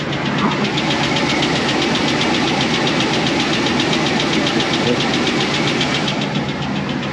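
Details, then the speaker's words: 2004 Chevy Express 4.8 V8, cold idle, sometimes smokes: fast light even ticking. Oil pressure is correct and the noise drops as temperature rises, so hydraulic lifters pushed by the camshaft are blamed. "G peteo se da por los l los botadores que empuja el árbol de leva para las válvulas"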